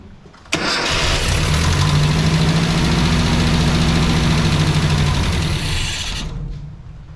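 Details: 1986 Mazda B2000 2.0 after swapping to an aftermarket Weber carburetor with EGR delete: cranks, catches with a rough, lumpy run for about six seconds, then dies; a fuel supply problem such as a clogged fuel filter is suspected.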